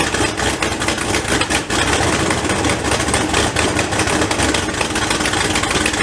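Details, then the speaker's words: LS turbo build at first start, idling with no downpipe, after double-gasketing one manifold side: a loud raspy idle with a sharp ticking chuff on each firing pulse; the other side's manifold flange is still leaking and also needs double gaskets. "all right so it looks like this side is pretty good a lot of the noise out you're hearing is coming from the exhaust part of the turbo so that's good but it's leaking here and it's leaking there"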